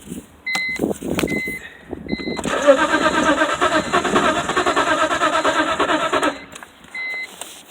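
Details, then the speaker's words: Crank no-start after new fuel filter, crankshaft sensor and both camshaft position sensors: starter spins the engine steadily about three beats a second for four seconds with no firing; owner suspects it is out of gas, not confirmed. "sounds like I'm out of gas which may be the problem I don't know"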